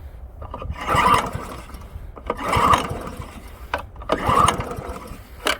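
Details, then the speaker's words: Old Honda HRA215 SX self-propelled mower, engine got a little wet: three pull-cord tugs about 1.5 s apart, each a brief cough that dies; hard starting when wet. "I got her a little wet and she ain't happy."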